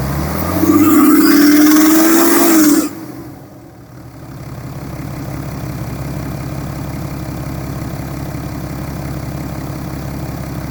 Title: BMW N57 rod knock (F11 530xd 2011 @ 367 000km)